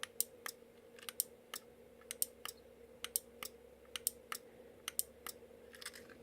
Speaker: I've not got a load to connect this up to, but we'll just power it up with the bench power supply, 12 volts. Let's set to 12. And yeah, when I press the button, you'll hear the relay clicking.